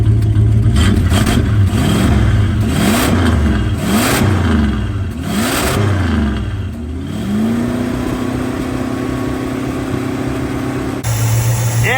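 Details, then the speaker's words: 1965 Plymouth Barracuda, original 273 V8, 4-speed manual, 138k miles, off road since mid-90s: choke linkage flipped, cold idle, slightly flooded; blips then smooth even idle on eight cylinders, billowing smoke, float level suspected too high; normal idle and revving. "hey nice that is eight smooth happy cylinders and some more smoke that is terrible"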